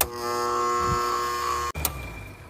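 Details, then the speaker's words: AC condenser unit, compressor tried after another technician called it bad: loud steady buzz over a second without starting, then cutting out; 30/5 µF run capacitor read 4.5 µF, bad, replacement fixed it. "You hear that loud buzz."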